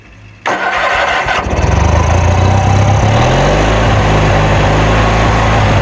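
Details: Kohler Magnum 20 engine on a Wizard mower, first start after repairs, carburetor refitted, choke left on, fed from a temporary gas tank: catches after a short crank into a loud, slightly uneven run; mixture still needs adjusting.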